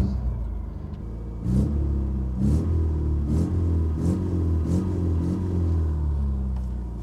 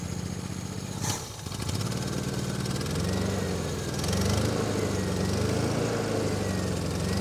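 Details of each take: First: 1987 Toyota pickup with 22R engine, first start after years sitting outdoors, about five minutes running on old tank gas: low, steady, even idle with no knocks or ticks. Normal idle. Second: 1987 Toyota Pickup, 22R four-cylinder, 242,000 miles, first start after sitting for years in the woods: the idle is uneven, stumbling and wavering instead of steady. The engine is running rough.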